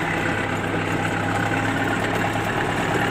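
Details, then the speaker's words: MTZ-82 tractor diesel idling with a dull, regular tapping: pieces of a broken valve striking the piston crown, found on teardown. "Ну что причина найдена тоже на поршне были кусочки лупашило клапан"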